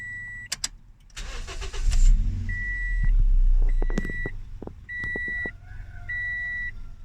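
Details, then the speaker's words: 2010 Toyota Yaris manual hatchback after a loose negative battery terminal caused stalling and rough running; ECU relearning after reset, no repairs done: engine catches after cranking among chime beeps and settles to a steady, stable, healthy idle. "Stable on its own. Sounds good. After a couple of trials turning on the engine, uh the car seems to have uh regulated itself on its own."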